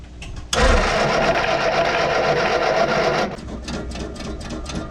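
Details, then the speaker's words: 1966 Austin Healey after tank cleaning and tune-up: fast even starter cranking about three seconds with no firing and no rpm rise; no spark found despite 12 volts at the coil, owner suspects a burned-out distributor. "but i i'm not getting any rpm before when i when i crank it the rpm will rise all right guys i think i'm gonna have to end this video right here um i think i burned out the uh the distributor on this car"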